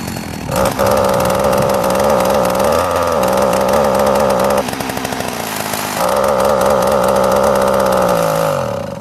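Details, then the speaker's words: Sachs Dolmar chainsaw being sorted for ignition timing issues: steady, even two-stroke buzzing idle with a brief dip midway, then smooth again; normal idle. "too far away. Yeah, she idles nicely."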